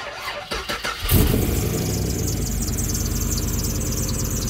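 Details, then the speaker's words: LS-swapped Mercedes, stored about a year, on first start: engine catches and runs with a thin high squeal over idle, belt visibly wobbling; suspected slipping accessory belt, possibly wrong belt or bad tensioner. "a little belt squeal no biggie we can fix that oh yeah look at that belt she's wobbling around might be the wrong side or the tensioner is bad"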